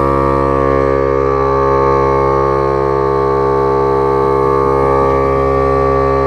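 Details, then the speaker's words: Milwaukee M18 cordless tire inflator with metal chuck pumping a tire: one solid steady motor tone with even pumping beat about four per second, no rattle; normal running. "another thing is the the noise on this as you can hear was like one solid pitch unlike the other inflators they're really like they have like a real bad rattle sound"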